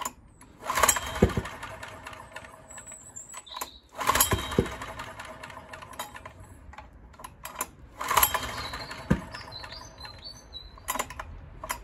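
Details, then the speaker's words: Honda EX1000 suitcase generator, bought as not working, faltering and uneven with sharp pops and bangs every few seconds; half choke tried, owner suspects it is backfiring through the carburettor. Backfiring through carburettor. "sounds like it's backfiring through the carburetor as i said"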